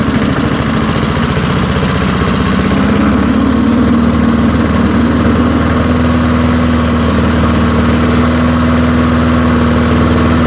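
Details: Early-1970s BF Goodrich push mower's small engine, a barn find that sat for years seized, revived after freeing up and fitting the carburetor diaphragm; picks up speed over the first seconds, then holds an even, steady note with no stumbling, running nicely.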